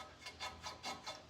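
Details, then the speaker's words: 2018 Ford F-250 brake caliper slide pin pulled in and out by hand: harsh dry rasp on each stroke; pin bone dry with no grease and binding, suspected root cause of the brake problem. "It's not very smooth and it makes a lot of noise and it's totally dry, so it'll bind up and then the caliper can't slide back and forth the way it's supposed to."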